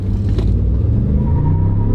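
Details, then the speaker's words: Used, loaded four-wheel-drive pickup with a later-model twin-turbo V6 and traction control, on a hard launch: a deep, strong engine roar joined by a thin tire squeal despite traction control. It pulls evenly with no knocks or rattles; normal acceleration. "You can hear it started to squeal tires, even though it has traction control. Hey, this engine's got a lot of power. There's no arguing that."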